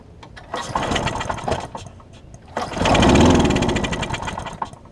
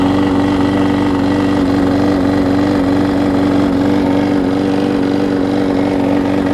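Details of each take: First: Husqvarna mower with aluminum deck and transplanted engine, cracked gas tank, gummed carburetor, throttle not working, run on starting spray: sputters in short bursts, swells briefly and fades; fuel starvation from gummed carb. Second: Husqvarna mower with transplanted engine, started with starter fluid before carburetor replacement: steady, even buzzing at constant speed, no misses or surging; holding speed fine.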